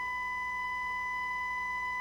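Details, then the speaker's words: Harman Kardon HK350i receiver, reported as having a scratchy channel, with a 1–3 mV test tone fed into the phono amplifier: the left channel is gritty, distorted and fading in and out while the right is clean; cracked solder joint. "yeah there's something going on at left channel here's the right it's clean and steady the left is distorted and"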